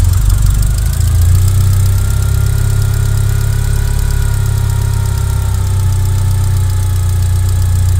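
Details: 1G DSM after a top-end engine rebuild, with a failed TCU: a deep, uneven idle that rises and falls. The idle hunts and surges, and the fuel-air mixture runs rich.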